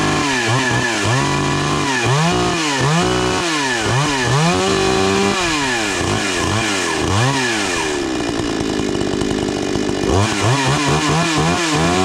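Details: 52cc chainsaw after refitting old parts, replaced stripped bar studs and a fixed recoil screw. Started on choke with chain brake on; revs up and down with crisp throttle response and a steady idle between: normal running.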